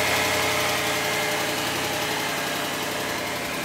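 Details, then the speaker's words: 2008 BMW E92 M3 4.0-liter V8, 48,000 miles, sat three years, owner suspects a bad engine; jump-started, it runs with a fast, light tick at about three per second over a rough idle, check engine light on; cause unconfirmed. "Huh. It's running. It's got a little bit of a tick."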